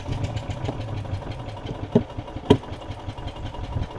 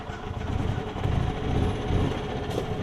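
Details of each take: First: Yamaha golf cart on battery, tried on choke, stale fuel in the carb bowl (fixed by a drain and flush of the bowl and top jet): cranking with scattered pops, fires once but won't keep running; owner suspects main jet. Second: Yamaha golf cart engine warm after a two-mile ride, air-fuel screw adjusted after the carb bowl drain and jet flush: low steady rumble that picks up cleanly under load without stumbling. Normal running.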